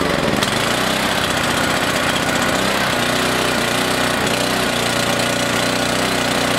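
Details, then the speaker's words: Small single-cylinder engine on 14–15-month-old pump fuel, no additive, tank about half full; caught after many pulls, busy, slightly uneven putter; runs normally on the stale fuel. "so 14 15 month old pump fuel no additive at all and it started took quite a few pulls but it did start wow that was a shocker"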